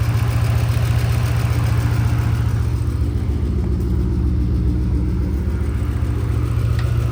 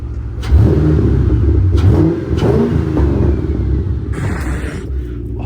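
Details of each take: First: 2005 Mustang 3-valve engine at idle; even sharp tick over a low rumble, heard more toward the rear and under the car, with vibration felt at a coil pack; exhaust checked with no leak; owner suspects a spark plug backing out, or the roller followers and lifters. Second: Should we give her a cold rev? If she survives the cold rev, I think she's fixed.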